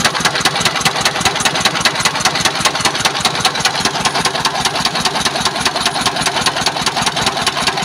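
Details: S1125 diesel at idle after running out of oil, refilled and put back to work: harsh, sharp knocks about 150 per minute with each stroke, rough sound; a knock inside the engine.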